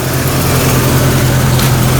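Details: 1999 Jeep Cherokee XJ 4.0 L inline six idling after tapping the starter got it to fire, a steady low hum with an even beat and no knocks or misses; normal idle, bad starter suspected behind the hard starts.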